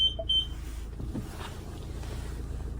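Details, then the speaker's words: 2025 Chausson 630 Etape Line motorhome with the automatic dial selector put into reverse: two short high-pitched beeps over a low steady engine hum. This is the normal reverse-selected warning, and the reversing camera comes on the dashboard. "When you pop it into reverse, you'll hear the beeping and your reversing camera will come on your dashboard."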